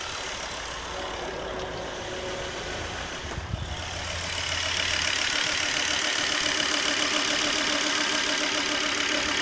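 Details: Volvo V70 2.5T petrol engine idling: quick, fairly even tapping about three or four times a second over a hissy hum; source of the noise unclear.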